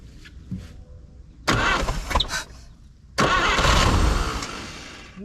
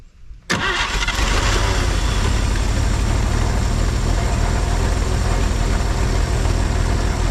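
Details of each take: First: 1950 Chevrolet Styleline, parked about 7-9 years, first start attempt on priming fuel with fuel line off: after a pause a rough roaring burst runs about two seconds then dies, brief fire then stall. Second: 1950 Chevrolet Styleline parked 7-9 years, running on a separate fuel tank, carb base O-ring looking bad, radiator water unknown: after a brief crank it catches and settles into a steady, even idle, deep exhaust note, no knocks; normal running.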